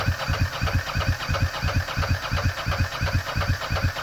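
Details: Ducati ST4s cranking but not starting after dying on a shakedown ride: steady cranking thumps about three per second, never fires; injectors not firing, fuel pump only intermittent, owner suspects a wiring harness fault.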